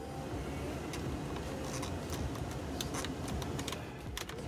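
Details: 2005-09 Ford Mustang HVAC: quick, uneven plastic ticks, a few a second, over low hum when key on, from a blend door actuator with stripped gear; fix is replacing the actuator.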